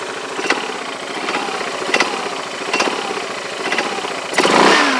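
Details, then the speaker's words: Yamaha Majesty scooter idling about 1100–1200 rpm, rides fine to 90 mph: sharp metal-on-metal clank about every three-quarters second; owner unsure if normal, suspects CVT clutch or roller weights. "it's like metal-on-metal but that sounds like smelling metal-to-metal"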